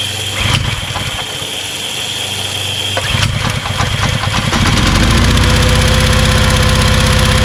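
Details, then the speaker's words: Kärcher pressure washer, small single-cylinder petrol engine, tested with water on but no spray gun fitted: pulls down a little as water comes on, then runs steady and even under pump load. Healthy; pump pressure is very high. "so i would say that it works because the pressure was really really high so hard that um if i put my hand halfway through the stream it it hurts you know so i think the pump works"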